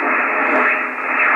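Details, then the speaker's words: Icom IC706 HF rig on a linear supply with a short wire antenna, new 12 V 30 A supply switched off: constant rushing hiss around 1180, noise hash from something inside the rig or nearby; source suspected, not confirmed. "i've got a little antenna on on the ic706 just a bit of wire i do get hash that comes from something inside the rig or nearby at around about 1 180 cases there"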